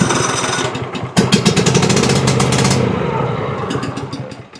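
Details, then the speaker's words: Cub Cadet XT2 riding mower, MTD PowerMore fuel-injected V-twin running rough: steady cranking beats, about three a second, never catching; spark checker shows solid red, zero spark on one cylinder, pointing to a bad ignition coil rather than a ground fault. "No spark on this side, obviously, is a reason this side is not working."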